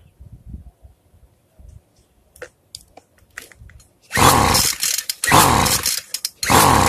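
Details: Free two-stroke weedeater, carb fuel screw being closed gradually after over-richening: quiet clicks, then three short rough bursts that die each time; won't catch and keep running.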